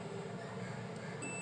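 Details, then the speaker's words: Lava keypad phone (600/A1 type) whose 7, 8, 9, *, 0, # keys had failed from a shared supply fault, after repair with a jumper: clean steady key-press beep over low room hum; the key now registers. "Beep की आवाज आ रही है। ये चारों एक समान हैं।"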